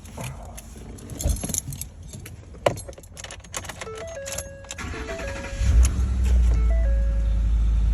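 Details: 2013 Ford F-150 King Ranch that had a crank-no-start, after replacing fuse 27, which had melted at the side: keys rattle, a short crank, then it catches promptly and settles to a steady, even idle, starting normally.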